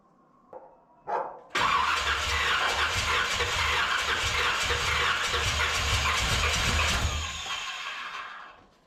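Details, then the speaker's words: 1981 Corvette engine freshly reinstalled, timing checked correct, valves open and close (owner assumes none bent): catches after brief cranking, runs ragged with pops and spits before dying, backfiring out the secondaries; carb soaking wet, owner suspects too much fuel. "Hell, you look in here, this thing is soaking wet, but she's backfiring out the secondaries."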